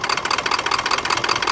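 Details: 1996 Ford F-250 7.3 diesel rough idle on deceleration: fast diesel clatter pulsing unevenly, some beats weaker than others; cause unknown.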